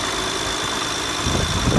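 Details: BMW E92 335i at idle: loose metallic clatter and ticking over an even idle, caused by a rattling power steering pulley, even though the pulley showed no visible movement.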